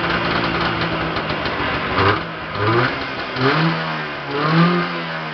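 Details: Yamaha Enticer 340 two-stroke on its first start after a rebuild with new Wiseco pistons, hot rods, a custom forged balanced crank, Wiseco bearings and a Uni filter: idles, then quick throttle blips rise and fall cleanly. Runs healthy though smoky.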